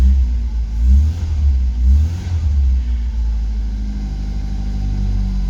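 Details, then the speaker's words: British Leyland Austin Princess just restarted during restoration, cold in a snowstorm, warming up: deep even rumble rising and falling with two throttle blips, then a steady idle; healthy. "Oh, what a beauty. Let's get a bit of heat into you, darling. Oh, yes. She lives."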